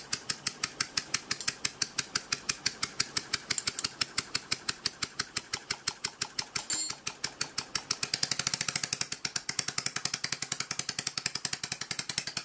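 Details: Scroll compressor running dismantled on a table, fixed scroll not in place, not bolted down, kept at low speed: crisp even ticking about three a second, no grinding or knocking; running smoothly.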